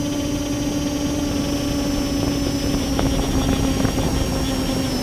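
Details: Multirotor drone with the camera tilted 15° down, which brings bad vibrations: a strong, steady buzzing whine drifting slightly in pitch over rough rotor wash. Abnormal motor noise; the owner suspects the ESCs or motor bearings, not yet confirmed.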